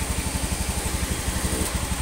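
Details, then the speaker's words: Honda Beat FI (Beat ESP New K81) scooter idling after piston replacement and crankcase cleaning, fixing oil vanishing within a week from stuck oil and compression rings: quick even putter about ten beats a second, smooth, no knock, healthy idle. "Ini sudah selesai dan akan saya bunyikan bagaimana suaranya. Sudah halus seperti motor pada umumnya. Ini suaranya sudah halus,"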